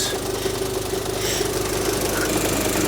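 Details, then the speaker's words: 2000 Rover 75 Club, 1.8 K-series engine, at idle with air conditioning off: light irregular tick about twice a second over steady idle while the cooling fan runs high when it shouldn't; clicking source unclear. "should the fan be running at all not really should it click like that that one does"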